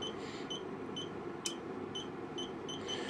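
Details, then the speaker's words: FeelTech FY6600 signal generator, channel 1 amplitude stepped between 0.5 and 0.6 V; short front-panel beeps, then a sharp relay clunk as the amplitude switches; owner suspects a sticky relay. "you can hear a relay going clunk as well so I wonder if there's a sticky relay in there somewhere"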